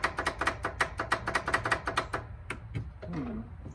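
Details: Abandoned 31-year-old 1993 Honda Harmony 1011 riding mower with a 12-volt system. Quick sharp ticks, about six a second for two seconds, then stop, and the engine never turns: the starter clicks without cranking. Cause suspected, not confirmed.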